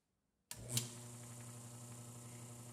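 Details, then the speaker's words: 1934 electric motor driving an oil-bath gearbox for a die filer, after refilling with less of a heavier non-detergent oil; estimated around 800 RPM. Quiet, steady low hum with an even tone and no ticking, now running smoothly. "oh runs so beautifully now so the right oil was the ticket"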